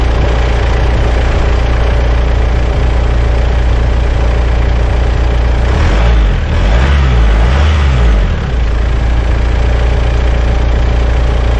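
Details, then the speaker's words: Mitsubishi Shogun/Pajero diesel after alternator belt fix, idling with lights, connected trailer, heated windscreen and blower on; steady low idle, no belt squeal or chirp, no strain: normal idle under electrical load. "heated windscreen blower the whole plant was going there and earthquakes and doesn't sound like the belt's too tight either so yep"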